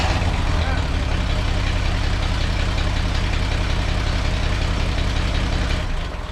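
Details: Old inline six (216/235 splash-oiled type) at idle after exhaust leak work: uneven, stumbling beat with dropped pulses in the low exhaust note; still misfiring, a spark plug wire laid against another one.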